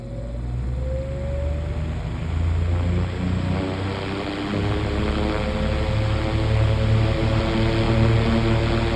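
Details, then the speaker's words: 9-inch Airtek high-velocity fan started from rest on low and medium: low whir climbing quickly in pitch as blades spin up, settling into smooth even hum; normal fan startup. "And of course, before I close out the video, I'll capture the startups. As soon as this thing stops coasting, we'll do that."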